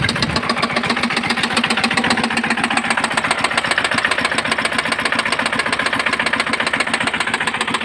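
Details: Engine that jammed and ran tight: a piece of broken air cleaner filter got into the cylinder between piston and head; sharp, evenly spaced knocks about 220 a minute over the running engine; knocking from a foreign object in the cylinder.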